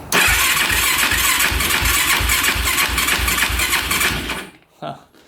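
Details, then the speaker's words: 2006 Yamaha YFZ450 single-cylinder quad with sweet-smelling smoke: chugs unevenly, then cuts out abruptly after about four seconds; stalling, and they suspect the crank is locking up, unconfirmed. "kind of sounds like it stopped because of the crank yeah like it's locking up"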